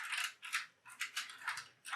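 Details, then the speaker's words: Tstand 1 tablet stand for bed: its joint gives short, scratchy high-pitched squeaks, about six in two seconds, when lifted or set down. About 20% of units developed this squeaky joint. "you can hear that squeak if you're lying in bed next to your partner it when you put it on the floor put it on your bedside table just lifting it off it's make squeak"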